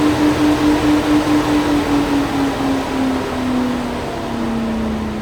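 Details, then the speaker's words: 2011 VW Jetta 2.5L (ME17.5.6 ECU), no-start car whose radiator cooling fan stays on: fan driven by scan tool, duty cycle raised from 10% (off) to 90% (full); steady hum with soft pulsing whoosh, so the fan and its control are healthy. "тобто в нас вентилятор працює правильно, він справний і керування на ньому справне."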